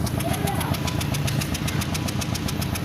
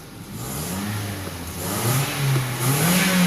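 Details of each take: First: Car still misfiring after new spark plugs and ignition coils, idle about 900–950 rpm, light throttle, mic at tailpipe: low exhaust rumble with sharp puffs about eight a second, engine missing from a faulty injector. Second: Car after its misfire repair, given light revs while listening at the tailpipe. It revs smoothly and steadily with no missed beats and is back to normal.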